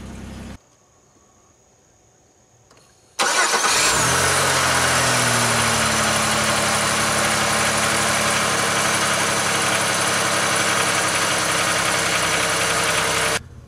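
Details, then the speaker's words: 2003 Pontiac Grand Am GT V6 right after starter replacement: quick, clean crank catching at once into steady smooth idle, no grinding or clicking, sounding much healthier than before; normal start and idle. "hey look at that sounds so much healthier than it did"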